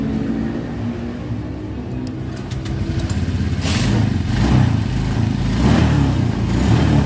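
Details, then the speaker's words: Motorcycle with an oversized battery held in place and the starter switch jumpered with a screwdriver: the starter clicks and cranks briefly, then the engine catches and runs with a rising, steady beat; it starts fine. "Terus saya jumper saja pakai obeng lah, nggak apa-apa ya. Nih, colok saja. Oke, coba kita starter ya."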